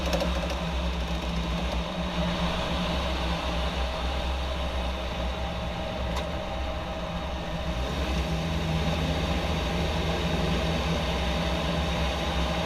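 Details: 2014 Jeep Wrangler JK: steady idle with faint, uneven knocking about four a second, suspected rear driveshaft, source not yet determined.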